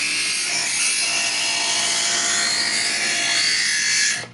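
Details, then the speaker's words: Chef's Choice Hybrid 220 electric knife sharpener, knife drawn through the other slot: an even, steady high-pitched grinding for four seconds that drops away as the blade comes out; normal sharpening. "It's just going to fine tune the sharpening of the knife. Sort of sounds like a little grinding sound."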